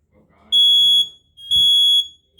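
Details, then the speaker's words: Kidde 20SA10 smoke alarm test: loud high-pitched beeps about half a second long in repeating fire pattern, with other interconnected alarms sounding too; normal operation. "You can hear the other alarms going off. That's an interconnected system for you."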